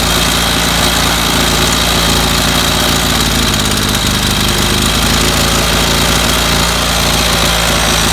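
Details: 25cc two-stroke string trimmer that ran five minutes then stalled, missing its fuel filter. At fast idle it buzzes loud and steady, its note wavering as the low-speed mixture screw is turned.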